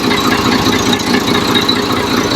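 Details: Engine investigated for a knock, with the cylinder head removed and the damaged part found to be a connecting rod: a steady, even running beat with no deep rhythmic knock under it. Normal running.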